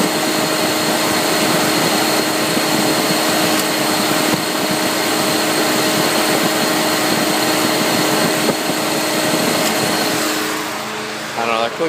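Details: Dodge SRT-4 with A/C compressor running, heard at the engine: steady whirring with light ticks about four a second; irregular clicking from the compressor, with a sucking noise under the passenger dash and pedal vibration felt.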